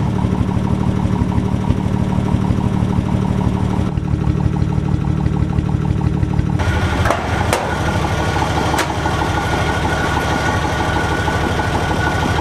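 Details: 1961 Ford Falcon with the muffler rusted off and the exhaust manifold barely attached to the cylinder head: very loud, raw idle with hard, deep unmuffled exhaust pulses; exhaust leak at the manifold and missing muffler.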